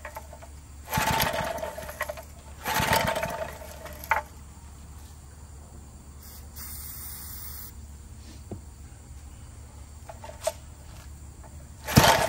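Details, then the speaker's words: Barn-fresh 1951 Briggs & Stratton 6B-SF, 1.75 hp, 3600 rpm, first start on fresh fuel, choke on then off: short bursts of firing dying to near silence, catching again briefly; fuel issue, owner suspects the tank pickup tube. "okay well it's definitely a runner but we've obviously got a fuel issue i don't know if that pickup tube is not working or what"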